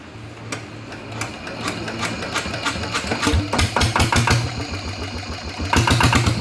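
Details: Rebuilt RT100 single-cylinder diesel run at low rpm to check it; steady, slightly uneven thumping about three to four beats a second with clatter; running fine.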